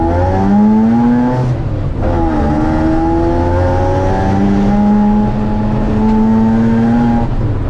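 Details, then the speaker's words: Rotary-engined Baja Bug on a road drive after a fix: smooth rotary drone rising and falling through the gears, dropping into first, about 60 quickly; much quieter, only faint minor rattles left. "see how quiet this thing's going to be oh man it's so much quieter I hear some other stuff rattling"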